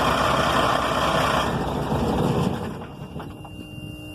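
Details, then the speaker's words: Detroit 6V92 diesel, owner suspects lost prime, diesel pushed into primary filter by garden sprayer: fast, even cranking beat about four per second, never fires, winds down; crank no start, owner thinks not enough fuel. "That felt the closest so far. Let's try it one more time in a minute. I just don't think we're getting enough fuel."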